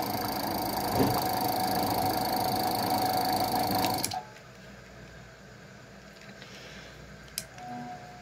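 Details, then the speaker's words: Gate motor rated 220 V run on 127 V supply (central switched to 110 V): strained steady hum cutting off abruptly as the motor struggles to start, needing a hand push, and stays weak; capacitor change suggested as remedy. "meu motor tá tentando partir lá ó tô ajudando com a mão de novo ajudei se ele partiu ele começa a ter um pouco mais de força mas mesmo assim tá fraco"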